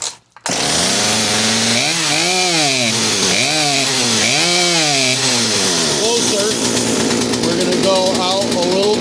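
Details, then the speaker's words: Poulan P3816 38cc 16-inch chainsaw after installing a HIPA carburetor, fuel line and primer bulb kit, before adjusting the mixture screws: revs swell and sag repeatedly instead of holding; engine bogging. "all right you can hear it bogging out like that"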